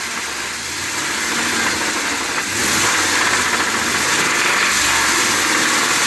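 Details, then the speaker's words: Ford F-250 7.3 L Godzilla gasoline V8 after the dealer supposedly replaced the oil pump and left oil pan bolts out: rough idle with rapid metallic knocking that swells when revved. It was towed back and the engine replaced. "this is after they initially brought it back to him and said everything was good to go and he started it up and it does not sound good they literally told him to keep driving it"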